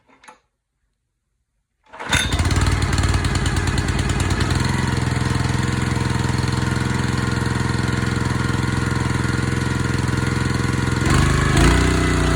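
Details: Honda GX160 on Splitfire wood splitter, previously bogging when splitting, after carburetor clean and oil top-up, choke half on: fires after a pull into even, regular chug, no surging, bogging or stalling; sounds fine, normal idle.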